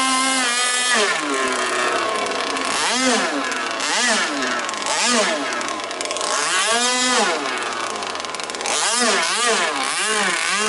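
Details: Two-stroke engine in a jet boat, running without silencer and with a swapped impeller: loud, raspy revving in bursts that bog and never hold top revs, so it does not reach full speed. The carburetor is thought to need tuning.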